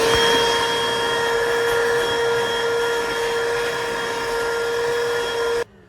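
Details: Battery-powered portable vacuum cleaning the interior of a Mk1 VW Caddy/Rabbit truck: steady high motor whine with constant pitch and even airflow rush, no surging or rattles; running normally.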